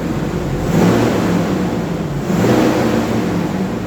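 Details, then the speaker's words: Truck after a full cam and lifter job and new oil pump at 208,935, running: a smooth, even engine note swelling gently with a light rev, no ticking or knocking, no leaks. Normal running. "Sounds great."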